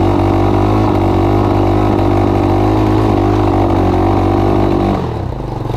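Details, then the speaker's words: Honda TRX200SX single-cylinder ATV engine in EZGO golf cart, driving at steady speed with choke partly on: lumpy rich stumble, "lumpity-dumpity"; rough running from partly applied choke. "I got the choke part way on. That's why it's doing the lumpity-dumpity thing."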